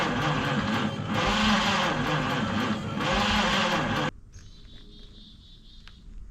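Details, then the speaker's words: 1953 Studebaker Starliner, 6 V, off the road possibly 45 years, factory wiring bypassed with hot wire to the coil: steady cranking about two and a half beats a second, no firing; erratic spark, owner suspects dirty points. "So, I saw a spark, but it's very erratic. I don't know what causes that. If it's just the points are still too dirty, they don't get consistent spark jumping."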